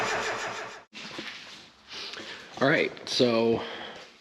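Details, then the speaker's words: Mazda Miata after installing a new fuel pump (confirmed working), starting fluid sprayed into cylinder one: starter spins with a few uneven chugs that never catch. Owner suspects crummy injectors passing no fuel, not confirmed. "I'm pretty sure the fuel we're not getting anything past those injectors."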